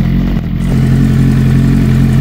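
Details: 2007 Suzuki GSX-R 600 K7 after full service with new water pump (fixing hot oil leak), warming at about 56°C toward fan temperature, no leak so far; steady smooth low idle, no knocks or misses; normal idle.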